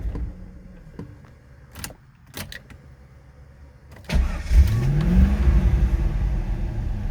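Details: 2000 Chevrolet Corvette C5 barn find after cycling fuel pump: clicks, crank, catches with rising rev but uneven running that won't settle, responds slightly better with throttle; won't stay running, fuel pressure suspected.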